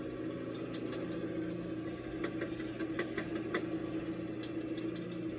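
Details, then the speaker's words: Mustang engine at fast, slightly high idle with irregular light chattering ticks from the front; speaker suspects the water pump despite owner saying it was just replaced, cause unconfirmed. "you'll hear that [ __ ] belly it's like that water pump or something up there chattering around I mean and he just said I put a new water pump on"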